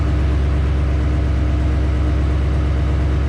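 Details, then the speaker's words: Duramax diesel at idle: a quick even tapping at about three per second, worse when warm, like an exhaust leak at an injector. It was later found to be a cracked passenger-side up-pipe causing a boost leak, replaced with PPE Racing up-pipes. "Oh yeah. It almost sounds like an exhaust leak on an injector. An exhaust leak, you think?"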